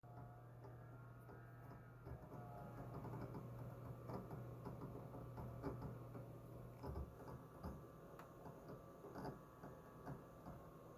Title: HGST - WD Ultrastar DC HC520 HDD Chirping Noise When Writing